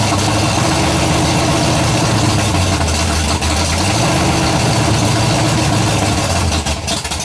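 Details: Freshly built 427 big-block V8, first fire-up, idling after a little warm-up: loud lumpy idle with a faint fast tick over the exhaust; builder hears one valve with loose lash and plans to adjust the valves.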